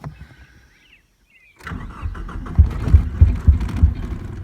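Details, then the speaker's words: 1989 Ford Probe GT parts car, cranking with the clutch pedal pressed: starter churn breaks into a few uneven low thumps, about three a second, that die when cranking stops; sounds like only one cylinder firing, not enough to run. "um we're firing it sounds like on one cylinder which isn't enough to get the car to actually uh run on its own"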